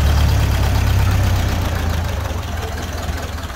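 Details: 1931 Ford Model A, flathead four, 200.5 cu in, about 4.5:1 compression, first start after roughly 65 years off the road; low, even putter with steady firing pulses, no misses or knocks; healthy, smooth low idle.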